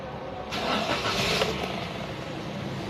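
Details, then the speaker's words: Car after periodic service, started in neutral: a short crank, a clean catch, then a settled, even idle with the warning lights going off; a normal start. "Selanjutnya kita starter mobilnya. Pertama-tama kita cek netral dulu lalu kita starter ya."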